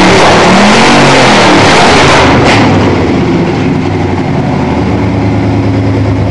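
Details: 1987 Toyota Supra MKIII with swapped 350 Chevrolet Vortec V8 and 700R4, restarted after rebuild with distributor cap corrected 180° and valve lash reset, open unwelded exhaust: deep loud rumble revs up then settles to an even, steady beat, no misses or knocks; normal revving.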